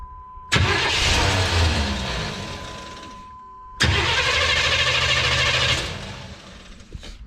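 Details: OBS truck after a top-end rebuild with a freshly set-up carburetor, no coolant and no exhaust yet: two quick crank-and-catch starts, each settling to a steady idle; fires readily and sounds healthy, though fuel pressure reads a low 4 lb.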